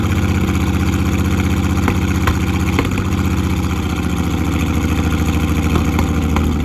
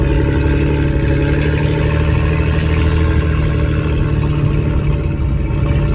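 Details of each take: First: Off-road Ford Falcon engine, first running after a long time with starting/ECU issues: rough, uneven idle with irregular stumble in the exhaust beat, a misfire; plugs were then changed. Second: Ford AU Falcon off-road build on test drive in open field, day after changing spark plugs to cure a misfire: strong steady engine drone, even pitch, no stumbles; running cleanly and pulling smoothly.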